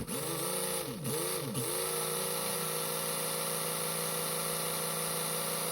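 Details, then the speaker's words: Mega G+ 1.7 slot car can motor on a dyno after resoldering: whine sags and recovers twice in the first 1.5 seconds, then steadies; owner says the problem is between the pickup shoe and the dyno, axle hole still loosening during run-in. "Yeah. No, still got issues. You can hear it. It's definitely a problem between the pickup shoe and the dyno."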